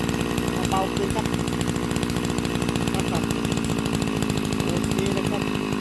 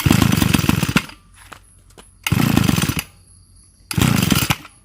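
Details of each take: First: Type 328 brushcutter engine converted from a float carburetor to a diaphragm-pump carburetor, cylinder flipped to the top, idle adjusted: a fast, buzzy two-stroke crackle at constant speed without stalling or hunting. Normal running. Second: Small two-stroke engine after converting its float carburetor to a pump-type carb and mounting the cylinder upside down: revs in short bursts, then drops nearly to stalling between them; idle set too low and needs adjusting.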